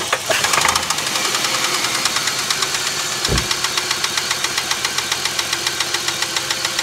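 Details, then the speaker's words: Holden VY Commodore wagon started on a fully charged battery: sharp steady metallic knock about 3–4 per second. Cause unknown. "yeah so put me m back on we have a little uh a little person inside there with a hammer somewhere now we got to get him out and sort that one out"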